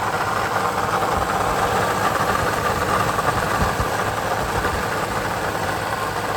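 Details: 2020 Toyota Sienna idling with a steady gritty growl and loose rattle from the engine front. Water pump pulley has play; the bearing is shot.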